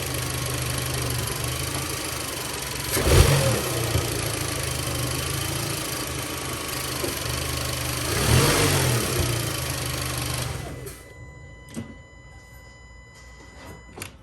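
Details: Volkswagen 1.8T with recently installed Solo Werks S1 coilovers: two dull thumps as the throttle is blipped at steady idle, with pops or squeaks when letting off or stabbing the gas. The worn transmission mount lets the engine shift and was later replaced.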